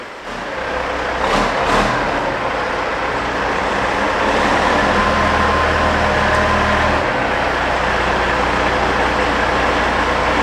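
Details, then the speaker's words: Kenworth W900 truck with Cat 3406E diesel after new turbo install and oil pan work, driven around the shop; deep even drone pulling steadily under load, no knocks, whistles or misses; running strong and normal. "you're just actually circling the shop here now it sounds like it's running nice and strong"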